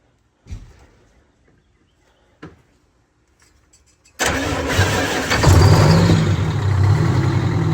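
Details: Military surplus Detroit Diesel 92 series that sat 20 years, now installed in a bus, on its first morning start after a night in the 50s°F. It catches at once into a deep, even idle; a normal cold start.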